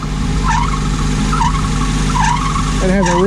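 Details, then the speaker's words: 2000 Nissan Frontier at idle: high chirping squeaks about once a second over the steady engine; squeaky drive belts. "we are going to be working on this truck today 2000 nissan frontier it's got squeaky belts"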